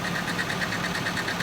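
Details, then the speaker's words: Nissan 240SX project car running after a new battery, fitted because the old one died; steady even idle with smooth low pulse, no knocks or misses; engine sounds healthy, normal idle. "So, we got the cam motor nice and healthy."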